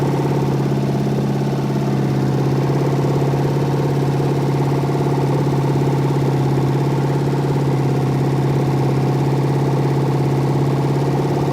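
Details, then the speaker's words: Ford engine on a known-good 4100 carburetor from an F100, running hot and blowing coolant: a steady run with an uneven pulse about three times a second. It was running rough because a rocker arm jumped off its stud. "Rocker jumped off. Thought I heard it running rough."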